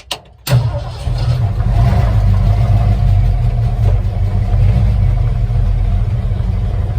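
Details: Ford truck with a 2-barrel carb, 3-speed FMX auto and passing-gear linkage, not driven in a couple of weeks, started on a very warm day: brief crank, catches at once, settles into a steady, even low idle with no misses or knocks; normal healthy start.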